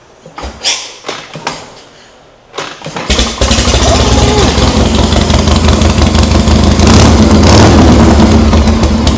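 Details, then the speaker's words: Rebuilt 1982 Harley Shovelhead with the leaky carb and crossover line fixed and worn points swapped for electronic ignition: a few cranks, fires at three seconds and settles into a steady, even V-twin beat with no misses. It runs healthy, much better than before. "All right. Wow, that thing sounds good. It kind of ran like dog [ __ ] before I pulled it apart. I think it's cuz it had points in it and they were just clapped."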